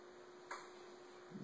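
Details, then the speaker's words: Insignia 51-inch 1080p plasma TV won't power on by remote; after being unplugged and replugged, relay clicks repeatedly as if trying to start while red power light keeps blinking, no picture: repeated relay clicking, no power-on. "And now we're going to plug it back up. You can hear the blinking on and off. Just a clicking noise. Light still blinks."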